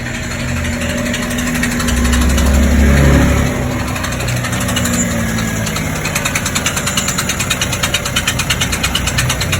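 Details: MG GS just serviced at 130,000 km, idling: steady dry rattle, about three knocks a second, from a broken clutch or flywheel bearing in the drivetrain.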